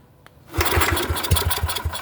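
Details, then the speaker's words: Neglected Yamaha 624 snowblower, choke closed and carb cleaner sprayed in: silence, then a burst of ragged pops under two seconds that fades out; it almost starts but won't keep running. "See, it almost started. Earlier when I was playing with this, I had it turning over pretty good. It was running for a couple seconds, but I'm trying to show you that."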